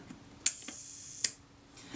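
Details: Kodak Retina IIIS shutter after swinging the speed train closer toward the center for more cam engagement: two crisp snaps about three-quarters of a second apart with faint buzz between; timing now more believable; normal shutter timing after adjustment.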